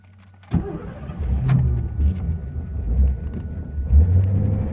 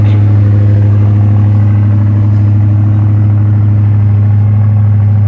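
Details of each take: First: 1985 Ford Thunderbird, cold start, fuel pump wired to a floor switch: starter catches, engine settles into a fast, slightly uneven high idle that sounds reluctant to stay running; service light stays on until high idle ends. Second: 1985 Ford Thunderbird, about 80,000 miles, cold start: steady fast even V8 idle with deep drone, owner guesses 1200–1500 rpm, lasting roughly 5 minutes; cause unknown; small hole in muffler.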